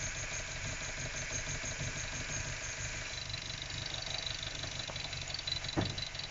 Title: MX5 Mk3 Rough Idle